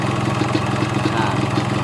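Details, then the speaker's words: Yamaha RX King two-stroke carburettor, air screw set to two turns out (dry setting): quick even idle putter, steady firing, no misses; rpm rises slightly, leaner mixture with more air supply. "suaranya udah kelihatan ya sedikit agak meninggi putaran mesinnya atau rpm nya jadi ini settingan yang ini yang dua putaran ini antara bahan bakar sama suplai anginnya itu lebih besar yang suplai anginnya"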